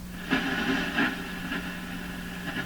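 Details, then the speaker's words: Canadian Westinghouse Model 577 radio at about 100 V supply: station sound swells in short bursts about every half second over steady hum, intermittent reception; tuning capacitor appears to have bad connections. "okay so the tuning capacitor appears to have bad bad connections"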